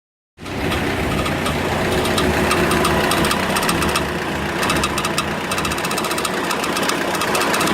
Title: BRUIT MOTEUR